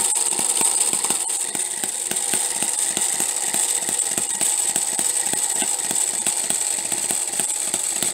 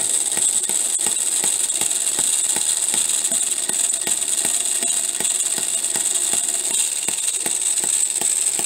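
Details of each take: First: Homemade miniature 4-stroke hit-and-miss engine with a half-inch stroke, running; sharp pops of about four a second over a steady hiss, firing cycling in and out as the governor locks out the exhaust valve, healthy. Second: Homemade miniature 4-stroke hit-and-miss engine at about 1500 rpm. Quick steady ticking over a high gritty whir; the poor-quality timing gears are making a lot of noise.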